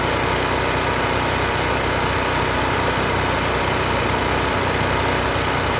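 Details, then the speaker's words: Free 10,000 W surge / 8,000 W running generator left outside for years, running after the water- and mud-filled air cleaner box was cleaned: steady even drone at constant speed, no misses, knocks or surging; normal running. "this thing runs great Pur like a kitten"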